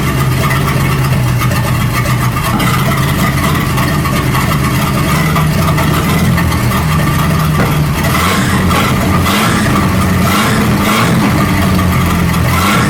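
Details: 1937 Buick Roadmaster with an apparently rebuilt Stromberg carburetor, after the idle screw and idle mixture screw were set: a steady, even low idle with no stumble or surging. It sounds much better but still needs fine tuning. Normal idle.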